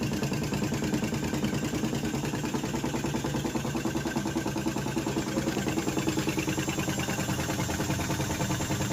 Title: fully automatic washing machine sound problem 🧐🛠️ #shortvideo #viral #trending #experttecnic 🛠️🧐🤸💪🔧🪛